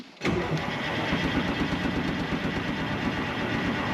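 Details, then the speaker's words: 1976 Ford F250 with a swapped Detroit Diesel 453T and 4-speed manual, sitting since 1996, cranks steadily with an uneven chug but won't fire and has no injector squeak; there is fuel in it, but it seems not to be getting fuel (suspected, injectors possibly stuck). "all right I don't think it's getting fuel"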